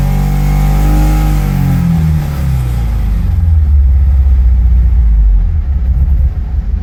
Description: I have a 1986 Porsche 944 n/a that has a misfire problem over about 5000 rpm. The power really seems to cut out above this limit and as the revs come back down the car runs terribly.